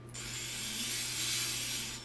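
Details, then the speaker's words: FPV quad brushless motor spun props-off from Betaflight motors tab, hand on frame: steady tone with a rough, ratchety hiss, a worse bearing than the others. "that one that you can hear the bearing is a little bit worse on that one"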